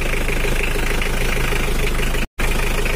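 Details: Old Mitsubishi L300 diesel, cold, idle slightly raised: steady, even low rumble with no knocks or misses. The earlier uneven idle is fixed.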